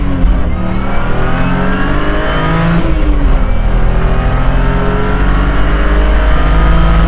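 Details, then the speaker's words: 2009 BMW E92 328i track car under hard acceleration: a strong differential and transmission whine rising with road speed, attributed to solid aluminum differential and transmission bushings. "so as you guys could probably hear there's a lot of whining noises a lot of like differential and transmission wine and a big reason behind that is simply due to the solid aluminum mounts that this car has"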